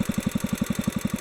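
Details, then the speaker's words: Kohler K-series single-cylinder engine (K181) during main fuel mixture screw adjustment on the carburetor: steady thump of about eleven beats a second that begins to sag as the needle is opened too far; over-rich mixture slowing the engine. "now i'm going back out where i started and you can hear it slowing down already so that's too far"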